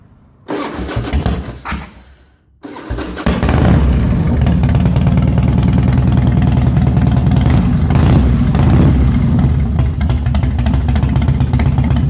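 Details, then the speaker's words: Harley Twin Cam, new timing chain and Andrews 26 cams, carb cleared of a stuck O-ring piece, mixture screw at about 2-1/4 turns, cold start without choke: cranks, catches after a stutter, settles into a loping cam idle, no knocks; healthy. "So let me start it up for y'all. And it's a cold-blooded bike, so it doesn't like to be choked because I live in a warm area."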